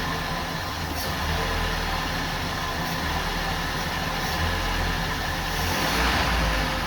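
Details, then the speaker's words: 1980 Dodge Dakota 4-cylinder, 5-speed, carbureted with distributor, stone-cold engine after long sitting: steady, low, lumpy idle running noticeably slow and uneven; idle screw to be given half a turn, timing also suspected. Cause not confirmed. "I'd see idle's just really slow I'm going to give half a turn really yeah it could be like I said it could be the timing as well well I was thinking just idle adjustment though"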